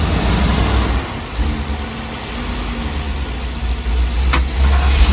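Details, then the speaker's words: Ford 7.3L Godzilla V8 after engine swap for failed lifters; air filter sensor had been unplugged causing choking, now reconnected and codes cleared; deep, even idle with no stumbling; normal idle. "But now you can see it runs a little bit different. All it was that air filter sensor unplugged. And you see the difference? Now it ain't choking no more."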